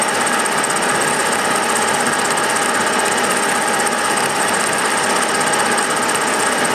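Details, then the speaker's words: Milling a vee-block from dense old forklift-tine steel with carbide cutters, an angle cutter and coolant, taking 1 mm cuts: a harsh, steady rattling buzz through the whole cut without easing. Chatter from a cheap out-of-round Chinese arbor. "my cheap Chinese Arbor what you can hear it have some run out in it and as these cuts get deeper this thing gets louder because of the way the the Arbor is out of round you only have a few hit and so then it starts kind of chattering a little bit"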